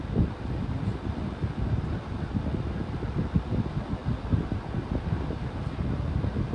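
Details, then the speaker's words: 11-inch Hampton Bay table fan on low speed: a soft, steady, low whooshing rumble with no ticking or grinding; the owner suspects it is just the sound of the large volume of air being moved. "tream it is moving quite a bit of wind so maybe that's just what it sound like because it's moving so much air I I'll put it that way that that'll make sense to me"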